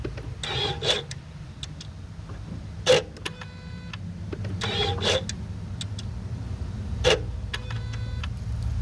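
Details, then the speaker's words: 2014 Ford Focus automatic, clutch actuator motors cycling at ignition on/off self-check: short whirring bursts about every two seconds with a gritty, crunchy edge instead of a smooth hum; worn actuators, to be replaced. "as you can tell that sounded a little crunchy hopefully you could hear it pretty well but it sounds pretty crunchy it should be smooth so we're going to replace those Motors right now"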